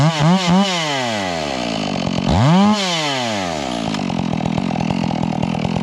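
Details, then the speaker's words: Stihl MS 461 chainsaw with Westcoast Saws kit and Maxflow air filter, carb limiters removed and retuned: sharp revs fall back to a burbling, uneven warble off load. Rich carburetor mixture, four-stroking off load; could be leaned. "I like it uh we can lean that in and make it a little bit zippier but uh she's running plenty Rich you can hear that four stroke if I'm not in it hard"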